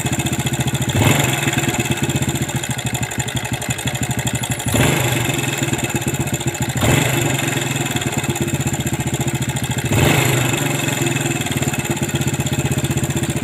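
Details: Yamaha Vega ZR motorcycle with oil filter, before teardown and service, also smoking heavily white with sooty exhaust: fast, even ticking over the idle that speeds up with each throttle blip, a slack cam chain slapping from a broken tensioner.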